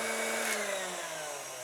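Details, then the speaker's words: KitchenAid tilt-head stand mixer after complete rebuild with stir and speed 6 set: smooth electric motor whine through speeds stir to 10, clean steady pitch, no grinding, knocking or gear chatter; running healthy. "So we got stir, we got 2, we got 4, we got 6, we got 8, and we got 10. This thing is running amazing."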